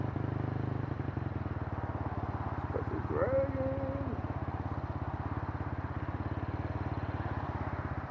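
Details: Kymco K-Pipe motorcycle fitted with a 50-tooth rear sprocket, cruising in 4th gear: steady, fast, buzzing engine pulse held with no shifts; wound high because the oversized sprocket makes final drive too short.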